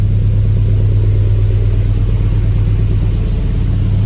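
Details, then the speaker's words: Jeep Grand Wagoneer with Hemi V8 swap, after replacing IAT, MAP, coolant temp sensors and EGR valve to chase a problem, now firing faster without stumbling: deep steady rumble, even beat, some exhaust leaks; clean idle. "The exhaust is louder. I expect some residual to burn off. I expect that. I mean, this motor is smooth as silk."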